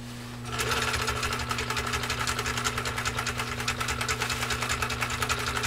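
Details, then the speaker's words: Husqvarna Viking 21A sewing machine sewing a modified zigzag through six layers of US Army-grade canvas, slow and then faster. Even, rapid stitching with a steady motor hum; it holds speed without bogging, straining or groaning, so it sews healthily under heavy load. "so what do you think did you hear mickey's machine struggle did you hear it strained did you hear groan nope"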